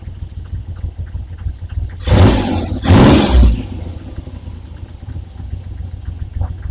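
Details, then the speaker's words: Triumph Trident T160 triple after carb re-jetting for poor running at about 2,500 revs: settled tick-over picks up into two crisp blips and drops back cleanly to even idle; carbs well set up, very little smoke. "Very pleased with that. Very pleased with the tick over the way it's running. Not not too much smoke out the back."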